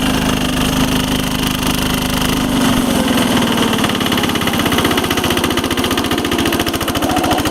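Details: 1983 Case 446 repowered with a Lombardini 6LD 435 single-cylinder diesel, high range at full throttle up a steep grade, lots of low-end torque: steady, even thump picking up and staying regular; normal running.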